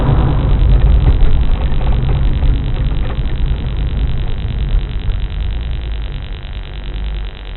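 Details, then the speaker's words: 1994 Chevrolet Corvette C4 LT1 driving at speed, mic in cabin: loud steady wind and road roar as if window were open though it is closed; removable top confirmed secure, cause unknown. "So I know it's safe to drive, but I don't know why it's so noisy. It literally sounds like the window is down when it's not."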